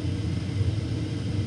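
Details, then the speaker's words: Lennox gas furnace diagnosed with a bad sensor: the inducer motor starts, the pressure switch closes, the igniter clicks, and the gas valve opens. The burner then fires with a steady, even low roar and no knocking or puffing. "there we go see it's on now that's induce a motor once that kick in it's going to close the pressure switch and then you're going to hit a little click click click click for the igniter then the gas valve will open up and it'll start heating"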